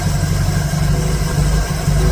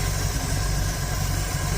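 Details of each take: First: 1951 Dodge Wayfarer 230ci flathead with Gyromatic, rebuilt Stromberg BXVES-3 carb, idle adjusted up to about 450 rpm: slow steady low idle with an even rumble and a brief blip midway, settling back smoothly without stumble or miss. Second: 1951 Dodge Wayfarer 230ci flathead six with Gyromatic, freshly rebuilt Stromberg BXVES-3 carb, warmed up, tach on coil: slow soft loping rumble with no knocks, idling about 350-400 rpm below the roughly 450 spec; idle needs raising.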